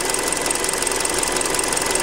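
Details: Hyundai Creta at about 40,000 km, idling after a Liqui Moly flush, old oil said to be 5W-30: fast, even, bright metallic ticking clatter over a steady idle; owner says it is louder than with factory 0W oil, unpleasant when cold. Cause suspected, not confirmed.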